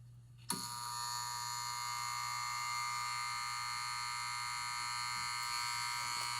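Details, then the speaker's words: Jar-top sprinkler valve switched on manually from a 4-station sprinkler timer: a sudden click, then a steady, even electric buzz as the valve solenoid energizes; normal activation. "And that was the sound of the jar top valve activating."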